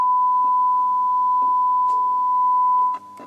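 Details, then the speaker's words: Swedish Amerikansk Ljudteknik GF 10 tube amp, probably 1960s–70s, fed a 1 kHz sine test signal: clean tone with irregular scratchy crackles every second or so; intermittent noise, a possibly expanding capacitor suspected, not confirmed. "yeah and it's making noise there's some noise some scratch noise"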